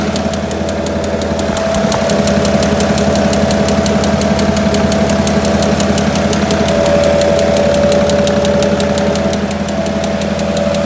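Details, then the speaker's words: Citroën C5 3.0 V6 HDi 240 with a crankshaft problem, started briefly after a year standing, timing covers off and much disconnected: loud, regular metallic clac-clac about three a second over a rough diesel idle; spun rod bearing. "Donc le moteur tourne bien. Non, il tourne bien. Non, il tourne mal, mais il tourne. Avec un gros clac, clac, clac, clac, clac."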